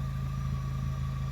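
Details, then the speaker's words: Fiat Grande Punto after fresh MOT, engine idling: smooth even idle with a steady low hum and one constant mid tone, no knocks or misses; ticks over nicely, normal idle. "now it's done you can hear it ticking over behind me um it ticks over nicely"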